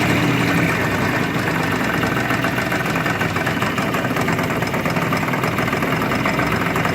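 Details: Yamaha-type Chinese scooter that had a strange noise from the variator, traced to a cover that would not seat fully; after filing it to fit and refitting the cover: steady, even idle with a smooth low drone and no tapping.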